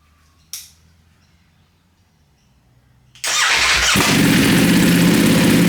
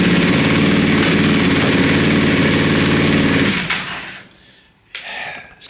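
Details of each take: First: Wrecked 2020 Ducati Panigale V4S, first start: the starter catches and it settles into a loud, even, fast idle with open exhaust bark. It smokes from oil and fuel on the engine after an earlier backfire-like sound, but the engine sounds okay. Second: Wrecked 2020 Ducati Panigale V4S during rebuild, first start with oil and fuel vapour smoking off the engine: rough, fast-pulsing engine catches for a few seconds, then dies with a sharp pop; backfire, cause unknown.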